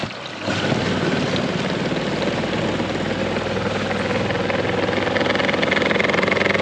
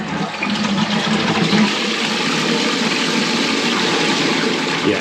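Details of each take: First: Saniflo macerator toilet running when flushed or when water goes down it; an object was possibly dropped into it. Labouring, vibrating drone with an uneven throb about three times a second, from blades fouled by rope wrapped around the cutter. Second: First toilet flush after a repair, with the water back on and the original flush cone reused. Strong rush of water drains evenly into a steady refill wash; it flushes properly.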